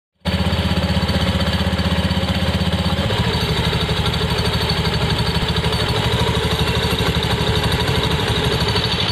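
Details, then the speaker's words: Honda Beat FI scooter running: a thin, high metallic "sing-sing" jingle rides steadily over the pulsing exhaust; loose clutch plates rattling in the CVT. "Tadi suaranya itu ada seperti nyaring ya di sini, sing-sing-sing seperti itu."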